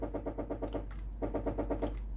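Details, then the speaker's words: Philips GC7051 pump-type steam iron with no steam, hotplate hot and ready light steady: steam button pressed, the pump buzzes in quick pulsing bursts, roughly eight a second, but no steam hiss follows; water hose faulty. "ผมจะกดในส่วนของปุ่มจ่ายไอ้น้ำนะครับได้ยินในส่วนของตัวปั๊มน้ำนะครับผมแต่ไอ้น้ำไม่ออกนะครับ"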